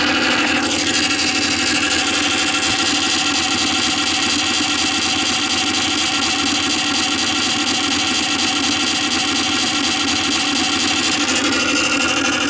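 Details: Columbia Graphophone AH after a motor service in which both dry springs, with powdered grease, were cleaned and re-lubricated, running unloaded with no record: steady, even high whirr of free-running gears, no knocks or speed hunting. A normal old spring motor.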